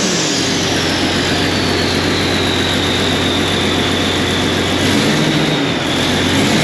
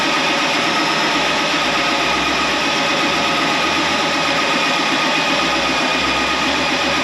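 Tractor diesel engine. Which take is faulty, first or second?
second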